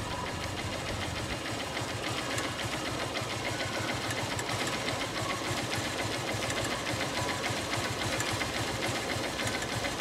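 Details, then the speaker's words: Honda Unicorn BS3 motorcycle engine at light idle: fast, even tick-tick about three per second clearly above the engine hum, which started suddenly; cause unclear. "फिर और guys दूसरी एक problem आ गई है वो है engine sound में पता नहीं अचानक से बहुत टिक टिक टिक टिक टिक की आवाज आने लग गई है बाइक के इंजन से"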